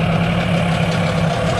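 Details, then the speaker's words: Suzuki 15 HP outboard, hard to start after long storage, idles steadily with a smooth low hum and no knocks or misfires after carburetor cleaning; the whole fault was carburetion, now running normally. "fiz a limpeza do carburador o defeito Esse motor todinho era só carburação certo"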